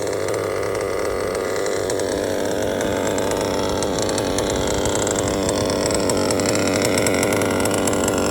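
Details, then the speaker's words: LRP .32 AMR modded off-road nitro engine: steady high buzzing idle that holds an even speed without surging or dying, after smoky top-end throttle bursts. Clean, stable idle. "idle is good and stable wow"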